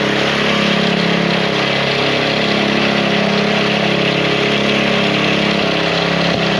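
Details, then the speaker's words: Small single-cylinder engine that wouldn't start after sitting five months, idling steady and even with no misfires. It fired right up after a few drops of old gas were drained from the fuel line; bad gas was the cause. "Put it back on after just a few drops came out. Really fired right up. Bad gas."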